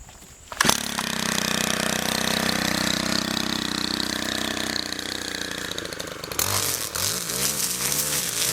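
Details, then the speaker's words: Stihl FB131 converted from bed redefiner to trimmer head, carburetor freshly tuned and engine warmed up, cutting weeds under load: high clean buzz dips and recovers as it bites, pulls strongly, running normally. "okay well Pat Uh looks like it is doing great uh go ahead and um I tuned up the carburetor uh and uh she's ready to go"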